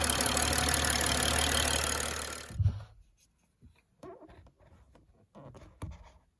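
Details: 2011 BMW X5 35i E70 N55, 109,000 mi, after fuel injector replacement for P0306 cylinder 6 misfire and surging idle: engine runs smoothly and evenly for a couple of seconds with no stumble or surge, then shuts off into quiet clunks.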